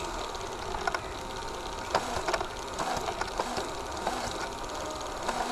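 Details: Digital/Hi8 camcorder tape with moisture damage being wound under hand tension: irregular sharp crackles and pops over steady motor hiss as stuck, moldy tape layers tear apart; sticky tape syndrome shedding.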